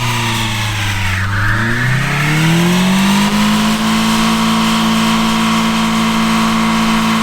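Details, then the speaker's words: 2004 Lancer Sportback wagon (base model, 84,000 miles), full-throttle launch: revs climb hard, drop at the first-to-second upshift, recover briefly, then fall flat and the engine bogs down instead of pulling. "ah did you hear it shift from first to second then it just bogged down again"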